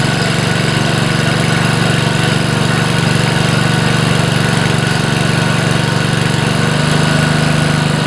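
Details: Honda HR215 5 hp lawnmower engine, reassembled after mainshaft seal, governor gear and sump gasket replacement for over-revving: runs at a steady, even beat of about four pulses a second with no surging or hunting; normal running.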